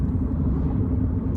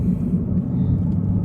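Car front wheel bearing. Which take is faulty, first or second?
second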